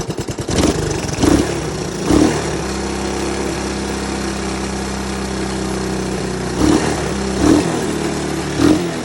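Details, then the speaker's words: 1983 Honda ATC 200S single-cylinder ATV, just revived, gas tank refitted: steady even idle with quick throttle blips picking up cleanly and settling back; running healthy, though still needing more tuning. "i'm gonna slap on the gas tank and uh try to get it to sit there and idle pretty and she's idling"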